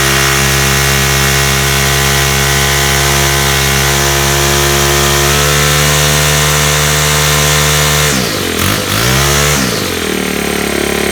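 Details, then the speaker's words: Straight-shaft trimmer, first spring start after sitting: strong, even buzzing run, clean dip and recovery on throttle blips; easy start, runs healthily. "all right another really easy start really nice trim now i've always uh got a nice sound to it love the straight shaft"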